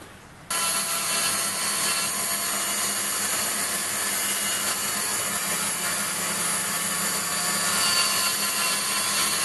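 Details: Waldown/Dumore tool post grinder finishing a bronze bush bore on a lathe, stone worked in both directions with fast in-out traverse and very light cuts: steady high hiss that stays even with no pulsing. Even contact, so the bore is ground true.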